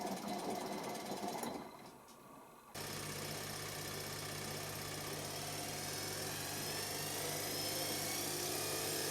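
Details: Electra ELEC1647A3 washing machine motor, about 10 wash cycles after new carbon brushes: starts after a lull with steady low hum and harsh scratchy hiss; damaged commutator grinding the brushes, motor dying, needs replacement.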